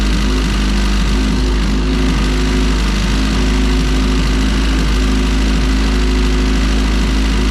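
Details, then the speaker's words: EF hatch with LSV head on E85, after installing spring-type LMAs and valve adjustment: loud steady idle with busy rapid top-end rattle on the low drone; noise unchanged, cause still unknown. "Well, that doesn't sound like it changed at all. I don't know, dude. I really don't."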